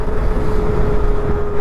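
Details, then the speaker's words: KTM Duke 250 Gen 3 on a night ride: steady mid-pitched "ooo" hoot over engine and wind noise; rider doesn't know the cause, says it started after a service; unexplained, source unconfirmed. "ஐயோ இப்போ sound வருது பாருங்க, எப்படி வருது பாருங்க, அப்படின்னு வருது."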